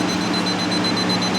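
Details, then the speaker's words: Lance truck camper roof near air conditioner with rotted wood from failed gasket: steady high-pitched beeping over low hum from moisture meter reading saturated, wet wood. "You hear that beeping? That means uh saturated. So, that's just this wood right here. We know that's wet."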